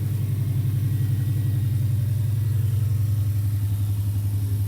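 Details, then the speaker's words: 1994 Subaru Legacy Turbo Touring Wagon after TD05H 16G turbo upgrade, coil-over-plug conversion, 07 STI PCV upgrade and a harness fault fix: steady, even low idle about 220 beats a minute, no misses or knocks; coolant not yet bled. "But now, go in here, start her up. Running really good now."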